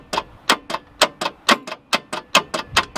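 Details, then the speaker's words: Mazda 1500 wagon with a Mazda 4-cylinder, 5-speed manual and twin carbs; key does nothing, starter jumped directly on a weak jump-pack battery. Sharp dry clicks about four a second, no cranking; engine seems seized, crank barely moves. "Leith's now going to just arc the starter motor to see if the motor's seized. See if it'll turn over. It's seeming very seized to me."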